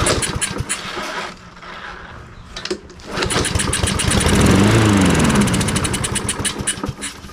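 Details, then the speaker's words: Husqvarna AWD push mower unused for 3 years, fuel poured in: rapid pull-cord ticking, then a short sputtering catch that dies within seconds; not getting fuel, carburetor probably to be cleaned next. "It's just not getting fuel yet. I am probably going to take the car off and go ahead and clean it, so that'll be the next step"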